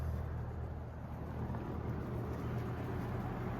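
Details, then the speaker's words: 1991 Robeson 20-inch three-speed box fan on low speed, drawing 0.69 A: smooth, even, quiet low hum with no rattle or knock; normal low speed running. "So, we'll start it up here on low. Fairly quiet. Decent low speed here."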